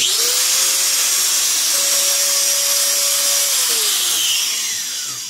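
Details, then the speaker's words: Power tool after bearing and carbon brush replacement: motor spins up to a clean, steady whine, holds evenly and winds down smoothly without grinding or rattle; quiet. Normal motor run. "So ngayon, subukan ko muna, no? On ko yung switch. Tapos i-plug ko na sa outlet. Okay, so ito na. 1 2. Diba? Ang ganda. Ang tahimik na"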